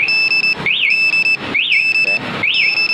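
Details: Yamaha NMAX 155 scooter with aftermarket smart-key anti-theft alarm, armed and triggered by moving the scooter: loud rising-falling electronic siren about every second with steady beeps between.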